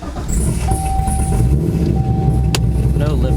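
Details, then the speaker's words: Chevrolet Corvette C6 LS engine after a failed-lifter replacement, reassembled with coolant being bled. Smooth, steady low rumble with no top-end ticking; the lifter tick is gone and the valvetrain sounds quiet and healthy. "or tick running rather nice yeah yeah car's running good"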